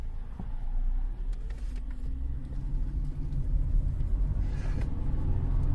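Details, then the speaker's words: 2013 Cadillac CTS 3.0 RWD on test drive after repair (differential replaced; had 40–45 mph vibration, driveshaft phasing marks removed): steady low road rumble, the earlier faint noise gone, slight tire shake remains; driveline quiet. "cadillac guys i don't even hear it anymore like you used to have this faint noise"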